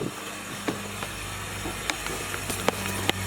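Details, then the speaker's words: Fuel pump of a hard-starting 1UZ-FE V8 swapped RX-7 FC, hardwired straight to the battery to test. A steady low electric hum with light clicks as the pump runs normally; the fault turned out to be pump power cutting out during cranking. "So just hardwired that. Pump's running."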